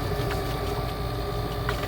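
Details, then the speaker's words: Boat bilge pump running after its float switch is shown: steady unbroken electric hum with a constant mid-pitched whir, no surging or rattles; normal operation, with some debris at the pump, which has a built-in strainer. "And that bilge pump's running. And it's got some debris right here."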